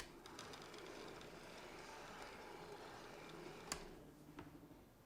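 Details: Aaton XTR film camera test run after loading the magazine: quick, light ticking about four per second over a soft motor whir; the pull-down claw engages the perforations and the film advances normally.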